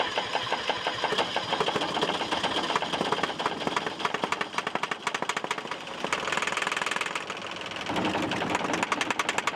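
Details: 3-cylinder air-cooled Deutz diesel powering a flamethrower, weak compression around 400: fast even cranking chuff that never catches because valve timing is incorrect; incorrect valve timing, no start.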